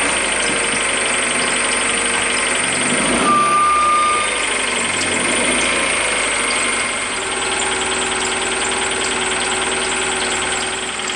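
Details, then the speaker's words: Ford Focus with 146,000 miles just after a 5-speed manual transmission swap, all gears working: steady idle with a light, fairly even tapping about four times a second, no squeal; slight knock, cause not pinned down. "this car has 146 000 miles on it and uh so it wasn't squealing right now you could hear that slight knock"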